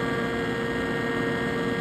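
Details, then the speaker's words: Exhaust hood blower that kept tripping its breaker, after wiring fix: loud steady drone with constant tone over mains hum, no quieter than before but won't trip breaker now. "listen she's not any quieter than she was but she's not going to trip the breaker anymore from that wire"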